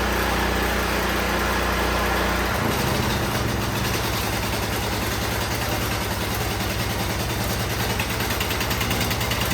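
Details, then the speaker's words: Firman T07571 generator on regular gasoline, choke on, brought in running rough with white smoke; it catches after a rough start, then runs ragged and stumbling and smokes heavily; too much crankcase oil suspected; rough running. "Okay, so that thing really started smoking. So a suspicion is that there is too much oil in it."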